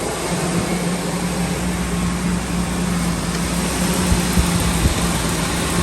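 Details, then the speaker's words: 2003 Ford F-350 Super Duty 5.4L after replacing a seeping passenger exhaust manifold, revved: an even, steady engine note building slightly, with no ticking or puffing from the manifold; the engine sounds sealed and healthy. "Man, this thing sounds super good."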